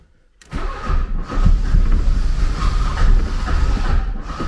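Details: 1979 Porsche 924 after fuel delivery repairs, new accumulator, fuel lines, cleaned fuel pressure regulator and spark plugs: starter turns, engine catches and runs rough and uneven for a few seconds, then won't keep running.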